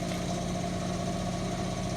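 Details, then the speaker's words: Indesit washing machine after drum bearing replacement requiring cutting the drum housing: smooth, even high-speed spin with steady hum and no rumble or grinding; new bearings sound healthy. "no obvious problems normal noise basically so being good right we're now entering uh quite a high speed still no problems amazing difference"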